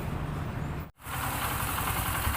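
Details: Honda W110 motorcycle after repair and reassembly, restarted: a steady, even idle putter with no rattle or tapping; the earlier loud engine noise is gone. Normal idle.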